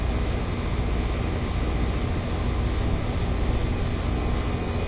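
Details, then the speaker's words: Ameristar 4-ton AC condenser in 106°F heat after a bulged capacitor was replaced with a 60/5 unit, compressor drawing about 18.3 A and fan 0.9 A; a steady fan whoosh over a low compressor hum with no rattles. Running normally. "Oh yeah, it's making some cold Freon now. Yep, it's already pulling a bunch of heat out of the house. That's good."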